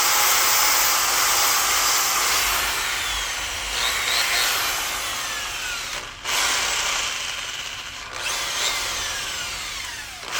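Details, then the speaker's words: Old variable-speed Milwaukee Magnum corded drill of unknown age, restored, plug-in test: steady high whir with brief dips as the trigger eases, no grinding or knocking; motor and gears sound healthy. "it sounds pretty okay i thought it sounded terrible i was like okay i can understand that"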